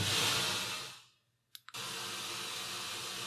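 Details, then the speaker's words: Bang & Olufsen BeoCenter 5000 under restoration, tone board refitted, input selector lines left floating; at power-on a steady hiss cuts out, two faint clicks, then static returns, apparently an untuned radio input selected by default: radio static at power-on. "Whoa! What am I hearing? That sounds ... That sounds like radio. That is definitely radio static."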